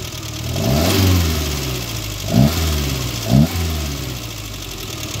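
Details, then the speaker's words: 1.0-litre petrol engine revved with one spark plug disconnected: revs rise and fall cleanly with only light valve tapping and no hollow knock, so no piston slap; bottom end still has life. "tap of two noises it always is but there's I can't hear Pistons that which is blooming good news"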